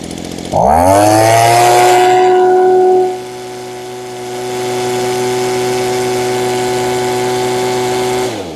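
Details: Echo two-stroke with primer bulb, first run with no parts changed or tuning done: fires up and revs high and crisp, then settles to a clean, steady tone without surging or bogging; runs amazing, though could perhaps go slightly leaner for more top end.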